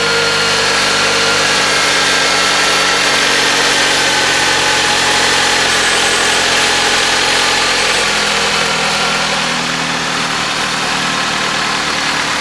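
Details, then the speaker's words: 2008 Jeep Compass 2.4L after replacing the overrunning alternator decoupler pulley to cure a whine: steady, even idle hum with no whine, ticks or knocks; normal idle, charging OK. "it's actually very quiet that doesn't have that slight wine that you may or may not have"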